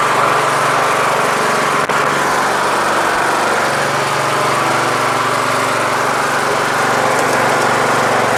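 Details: Troy-Bilt Super Bronco lawn tractor with Intek engine, after a carburetor swap to fix bad running: steady, even drone with no misses, surging or knocks.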